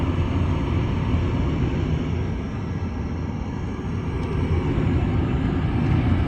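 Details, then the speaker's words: Gas furnace whose heat quit in cold weather, after control board replacement and a flame sensor cleaning: the blower kicks on with a steady low rumbling whoosh of air, even throughout. Blower running normally; repair successful. "Just gonna wait for the blower motor to kick on, and I guess we should be good to go. There's the blower motor just turned on."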